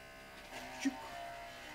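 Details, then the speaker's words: Skoda Octavia oil change with 12 V extractor pump through dipstick tube, 8 mm silicone hose: small motor's steady buzz roughens as it takes up oil load; normal pump operation. "как ему печать он более грубо стала работать выливаем все масло что есть"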